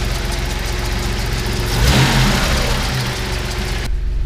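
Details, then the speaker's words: 1988 Toyota 4Runner 3VZ-E 3.0 V6 at warm idle after the high-idle fix, with the idle screw set to 850 then about 800 rpm: an even, smooth, low hum with no hunting or misses. "that's sitting at 850 rpm i'm gonna push it in just a little bit perfect 800 rpm"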